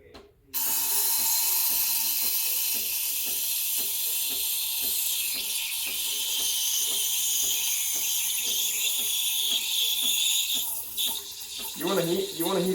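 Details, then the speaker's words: Breville Barista Express BES870 steam wand held at an angle near the milk surface: loud steady hiss with light rhythmic chatter as air is injected to aerate the milk; normal milk steaming. "hissing noise this hissing noise means that i'm injecting air i'm aerating the milk and i'm making it"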